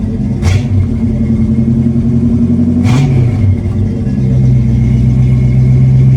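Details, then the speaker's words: 1976 Ford Granada, 351W V8, completed 3-inch exhaust with 2-chamber Flowmaster and tailpipe: deep smooth burble, two sharp throttle blips, then even idle; healthy engine, a bit quieter than hoped but nice Flowmaster sound. "so it's actually a little bit quieter than I was hoping for but it's got a really nice Flowmaster sound and it's not too obnoxious"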